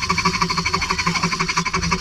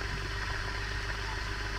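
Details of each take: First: Ceiling fan before repair: loud, rough whirring pulsing about four times a second over a steady hum; bearing noise, fixed later without replacing the bearing. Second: Ceiling fan after repair, bearing not replaced: soft, steady low hum with no scraping or rattle; the earlier loud noise is gone and the fan is healthy.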